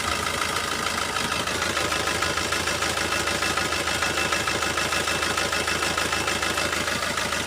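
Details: Diesel car idling with one injector switched off through an OBD2 ELM327 scanner app. The idle is rough, with a regular uneven beat about three per second and a shaky rhythm. The disabled injector causes the rough idle.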